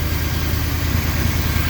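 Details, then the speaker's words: 1981 Honda Goldwing with new single carburetor, after vacuum fix: low steady even idle, no hiss or stumble, slightly slow; carb tuning needed, vacuum side seems good. "some tuning on the carburetor is required but as far as the vacuum stuff sounds like it's good to go"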